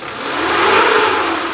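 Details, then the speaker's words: 1995 Suzuki Carry Futura Realvan DRV, 1300 cc petrol engine under the seat: revs up smoothly and falls back with an even tone and no knocking, tapping or rattle; no signs of worn rings or bearings. "Jadi ini mobil suaranya langsamnya masih enak, kita geber pun masih enak."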